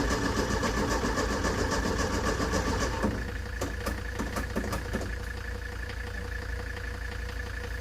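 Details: Ford Taunus 60-degree V4 in a 1970s Layton roller compactor, said to run about 20 seconds then die, cranks in a steady rapid beat, three or four turns a second, never catches and fades.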